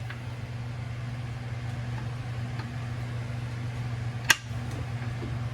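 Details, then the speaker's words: Rebuilt WICO magneto impulse coupling on an International LB hit-and-miss engine snaps right at top dead center and fires as the flywheel is turned by hand, a crisp snap over a low hum; normal impulse coupling operation. "that's the impulse in the Magneto uh snapping at right at top dead center and firing"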